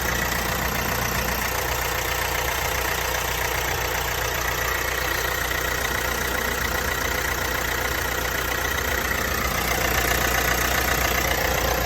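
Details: Vauxhall Astra 1.6 at idle: fast, even light rattle over steady idle with hiss, present for a few months; dealer found no problem, source not pinned down.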